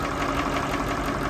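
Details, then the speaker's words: Massey Ferguson 1800 diesel tractor, engine seized eight months ago and since revived, idling hot to cool down after chisel plowing: steady, even idle with smooth low rumble, no knocks or misses; healthy. "listen to that baby just her ain't that beautiful yeah who knew that 8 months ago that was a Seas up engine this was going to the scrapyard and now look at her just singing along like a beauty"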